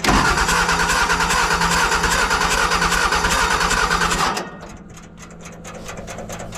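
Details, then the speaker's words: Military fuel-trailer pump engine cranking and chugging unevenly at a steady loud rate while trying to fire, then cutting out; hard start with gas blowing out the side. "something's blowing something's blown out the side of that right there it was trying to fire"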